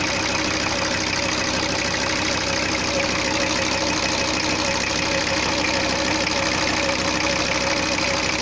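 Steady, even diesel clatter at idle with no misses, surging or odd knocks; this engine is idling normally.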